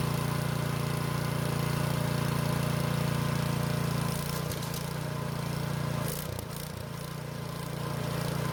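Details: Curbside-found snow blower's small engine after carburetor jet, clogged and hard to see, was cleared with a tiny drill bit and upsized, fed fuel directly with no fuel line; holds a steady even hum, eases down smoothly, no surging or missing.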